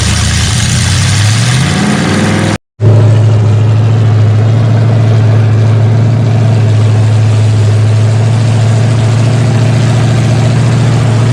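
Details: Freshly rebuilt 454 Chevy big block V8 with new pistons, from a 1973 Chevelle SS 4-speed, on a break-in stand after break-in: brief rev, short cut, then deep steady idle burble with no ticking or knocking; normal idle, fine tuning still pending.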